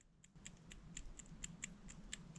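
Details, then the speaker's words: Argo ATV main outside wheel bearing, replaced at annual service, rocked by hand: light sharp clicks about four a second from a touch of play; worn bearing. "there's a touch of play see if you can hear that now I can feel that moving just a hair"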